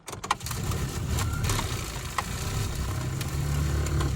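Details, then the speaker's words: 2000 Ford AU Falcon that sat over 5 years, ignition on, engine not started: low steady heater blower drone with irregular scratchy ticks and crunches, like debris in the fan cage. Blower fan suspected full of crud; mouse nests were found. "can hear all that crunching around. So, it sounds like the fan is full of schmutz."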